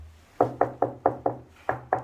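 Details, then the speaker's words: Eight hollow, ringing "tong-tong" taps on tile laid with adhesive that was not pressed down firmly, before full curing; tiles over mortar sound solid by comparison. "근데 본드 같은 경우는 제대로 압축을 하지 않고 일반적인 시공하게 되면 완전 양생 하기 전까지는 요런 통통 소리가 나요"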